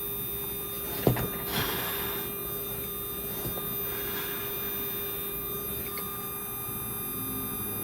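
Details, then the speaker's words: Small RC/slot car electric motor during break-in after adding a couple of oil drops: thin, steady electric hum holding one pitch throughout without surging or dropping; smooth, consistent, healthy run. "oh that's so beautiful do you hear it guys it's nice consistent sound that's what you want"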